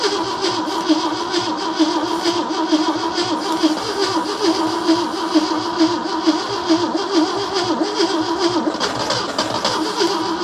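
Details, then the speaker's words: 1971 AMC Gremlin sitting since about 1984–85, revival attempt on jump box with starting spray: starter churns on in a steady rhythmic whirr without catching; long cranking, no start, starter smoking, owner suspects weak spark. "Got the starter smoking. All right, let me let the starter cool off. Spark may just be weak."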